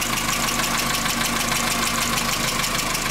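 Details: VW Jetta that arrived on a tow truck after losing power and stalling, just started with a substitute coil fitted: steady idle with a quick, fairly even light tick, about three per second, over the engine hum. Valvetrain ticking is suspected, not confirmed.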